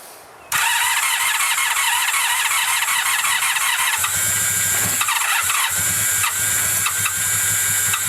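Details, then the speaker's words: 1985 Honda VF700S Sabre after carburetor cleaning, cold start at about 32°F with a little choke, likely first run in a long time: brief starter cranking, then catches and settles into a steady run; good start. "this is good she's trying it's coming back to life probably the first time it's ran and who knows how long well that's a pretty good start"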